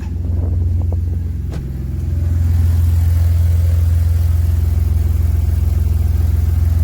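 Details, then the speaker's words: BMW E46 after reassembly with new catalytic converter and oxygen sensors, rear exhaust not yet fitted, no check engine light: quick blip then deep, loud, open rumble settling to a throaty idle; loud because the exhaust isn't installed. "I'm pretty sure is going to be loud but let's see yeah I hope it won't be too loud for my neighbors"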